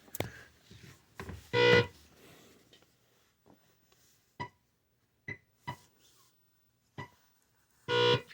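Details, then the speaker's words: Unknown pong table, possibly Video Play International, after game board repair and an added audio amplifier: clean, loud square-wave blips at paddle hits and scores, undistorted; amplifier works properly. "good amplitude and it sounds great. Couldn't be happier."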